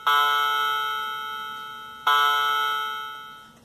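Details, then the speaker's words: Cheap Chinese clock mechanism with electronic Westminster chime, played by button through its small speaker: two bright bell tones each fading over about two seconds; chime works normally. "I'm going to demonstrate the Chimes the Westminster Bell and I can do it by pressing this button here and this is the little speaker that makes this sound"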